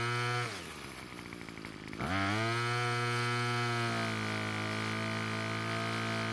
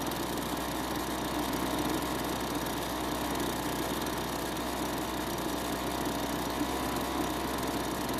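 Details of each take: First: Lawn equipment at spring start-up, starts fine but bogs under full throttle; note sags and stumbles, then screams back to a steady high pitch; L screw turned out about a third of a turn, then H screw richened: lean carburetor. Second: Kawasaki-branded two-stroke leaf blower at spring start-up after storage; steady, even drone at constant speed with no misses or surging: normal running.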